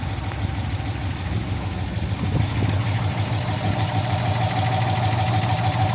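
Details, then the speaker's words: 20-foot Daimler Majestic Major hemi V8 limousine, still cold with no temperature showing, idling with a hand throttle after gentle revs: a smooth, settled idle with a regular low beat and no misses or knocks. A healthy engine. "that's a proper smooth running engine that [Applause] beautiful engine lovely and smooth"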